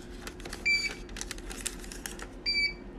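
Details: Birch receipt printer reassembled after repair, powered on; two short high beeps about two seconds apart over handling clicks; lid cover still open, stops once closed with paper.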